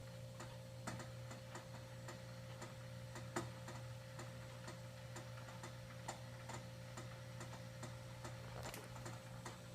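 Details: Arrowhead water cooler about a week old, running when it turns on: steady low hum with quick, uneven ticks and rattles on top.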